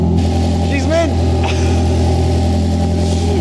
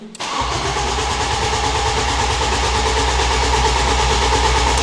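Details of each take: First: Ford Fusion (79bhp stock) swapped to a 2.0L Fiesta ST engine, first start after refuelling: loud, deep, steady exhaust drone with even firing beat, no knocks or misses; engine runs healthy, normal idle. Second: Ford Fusion (originally 79bhp) swapped with a 2.0L Fiesta ST engine, first start attempt: starter churns steadily at about three compression beats a second but the engine never catches; a fire heard, fuel tank found empty.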